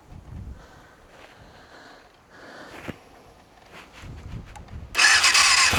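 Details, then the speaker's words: Yamaha FZR400 inline four after carb rebuild kit, new No. 4 carb and battery. Tank off, a syringe of fuel, starter solenoid bridged: near silence, then it catches suddenly with a crisp even rasp. Healthy start. "She sounds healthy."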